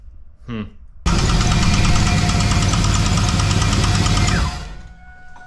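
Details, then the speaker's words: Engine with spun rod bearing despite good oil temps, pressures and oil cooler, high air temps leading to detonation: steady deep knock three to four per second over idle until shutdown; rod knock. "Then it actually spun, and it was clearly knocking. So you can kind of go back to the start of the video for the sound of that."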